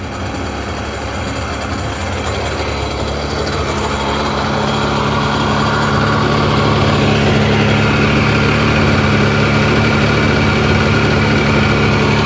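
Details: 2005 Sea-Doo 3D 787 RFI that had sunk, stalling at idle, with the MAP sensor reading about 4 psi: steady, even two-stroke buzzing idle that holds as it settles, no misses or hunting; runs fine for now.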